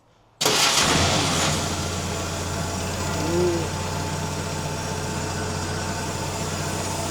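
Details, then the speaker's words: 1950 Willys M38, cold, at its first run in 15 years. It catches, flares, then holds a steady, slightly fast idle; it runs better with some choke, and a fuel leak was spotted afterward. Normal cold idle on choke. "Taking the choke off. Oh, putting the choke back on. Definitely likes a little choke."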